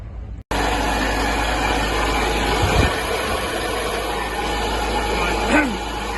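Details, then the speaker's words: Sunbeam Alpine fastback, last run about 5 years ago, recommissioning, running to drain old petrol: steady idle with rough whirring hum over it; very noisy water pump. "yeah very noisy water P still I'll keep this going drain the tank"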